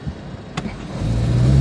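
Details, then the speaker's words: 2019 Hyundai Tucson with random and cylinder 4 misfire codes, during a brake torque test (foot on brake and gas): engine grows louder with uneven stumbling low pulse; suspected secondary ignition misfire, not confirmed. "Hear it? Yeah. That's classic, like secondary ignition misfire feel to it."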